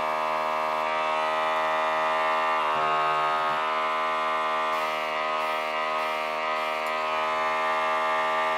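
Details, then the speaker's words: Budget AliExpress airbrush kit compressor running from its power supply, airbrush loaded with water: even, constant, fairly loud electric buzz at one pitch, no clatter; normal running. "как мы слышим достаточно громкий звук бюджетный сегмент"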